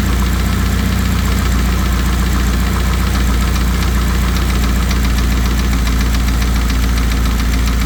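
Steady idle with a dull, hollow knock repeating about three to four times a second under the engine note, typical of piston slap.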